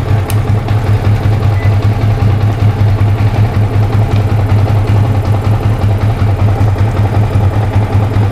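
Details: Yamaha Vixion that stumbled and died on throttle with code 46, traced to a failing battery, running with replacement Jupiter Z1 regulator charging about 14.2 V: steady even low thumping idle, no misses; normal idle.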